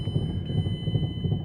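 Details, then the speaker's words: 2009 Mazda5 with the front hubs spinning in drive: a heavy, rough, low grinding churns on steadily from the front. Reverse engaged with a loud clunk. Transmission, axle or wheel bearing suspected, not confirmed. "Yeah, I think the transmission is shot. That sounds really bad. Wow."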